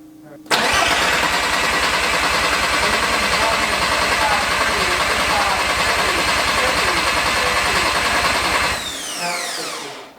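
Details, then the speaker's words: Porsche 944 swapped with a turbo 07K 5-cylinder, first start, oil near minimum; steady cranking without firing, about 60 seconds total needed before the oil primed to full pressure; cause unclear. "I don't know what took so long, but we had to crank it for probably, what, in all the times we did it, probably a full minute? It was probably 60 seconds worth of cranking for it to finally prime and show us full oil pressure."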